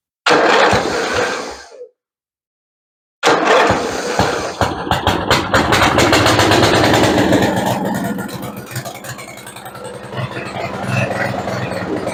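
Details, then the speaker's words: Craftsman II lawn tractor, Briggs and Stratton 12 hp gas engine, stored many years and freshly serviced with starter cleaned, first start: short crank, then catches and runs loud and uneven with rattly popping; cause unclear. "Well, it's starting to run. It's a little loud."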